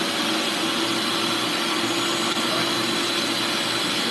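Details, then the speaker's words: Bissell Lift-Off carpet shampooer picking up a wetted carpet area: even, steady rushing suction roar with a constant motor hum and no surging or rattles. Diverter sends suction to the floor nozzle, and floor pickup works as designed. "But the suction should be good at the bottom, right? Cuz that's the diverter. That's how it's supposed to work."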